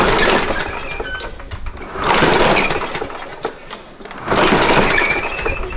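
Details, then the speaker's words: Craftsman push mower with automatic choke and its original old spark plug: repeated pull-cord rips give short rattling spins that die away without firing; no-start. Owner considers starting fluid in the carb; cause unconfirmed. "Sounds like it wants to. But I'm too old to worry about it too much."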